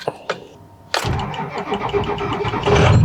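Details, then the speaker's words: Ford 6.0L Powerstroke diesel cold start after sitting about 3 days at 55°F: a few cranking ticks, then fires at once and rumbles into an even idle without stumbling; normal cold start. "Ooh, fired right up. As you guys saw right there, fired right up."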